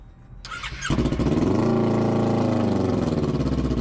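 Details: Motorcycle crashed and left 8 months without winterizing, battery being charged: starter catches and the engine fires into a rough, pulsing idle with a squealy edge but won't stay running; cause unknown.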